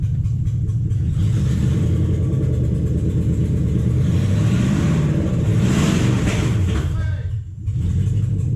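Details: 2007 Toyota Hilux 4x4 with swapped 3UZ V8, first runs after swap: loud, lumpy rumble with stumbling beat instead of smooth burble; misfire, suspected lost coil on one side, later fixed with right-hand side running properly.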